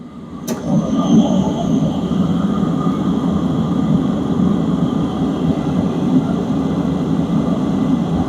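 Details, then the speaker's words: Diesel air heater with a ZC 12V 22 ml fuel pump (not a solenoid valve) drawing from an unpressurized tank, discharge air reaching about 240 degrees: steady combustion and fan roar with a low hum, no surging or popping; quiet pump, normal running at full output. "Fuel line's jamming fuel, doing its thing. It's quiet. It's a very quiet fuel pump."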